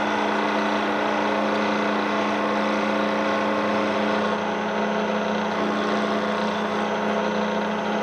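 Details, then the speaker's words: Loud, constant drone with a fixed low tone from a Bridgeport mill head at about 1400–1500 RPM after fitting a new spindle arbor and bearings; another unidentified noise source remains. "now yeah you hear it see something else something else is being noisy right now"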